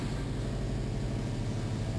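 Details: 2006 Subaru Impreza WRX just after start-up following a fuel filter replacement: a steady, even low idle with no stumble, hunting or knock. There is no check engine light and no leaks; the engine runs smoothly.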